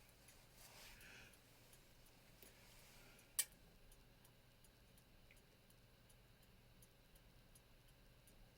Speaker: Now it sounds a bit strange, but what I do is I use a stethoscope, an industrial stethoscope like this, and I can hear the beat much more clearly.